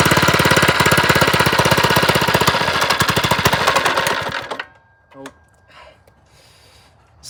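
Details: First run of a lowrider go-kart build: the engine is freshly mounted on only three bolts and a bit loose, with no throttle cable. Loud, choppy, uneven single-cylinder pulses for about four seconds, then it dies out; rough running, cause unconfirmed.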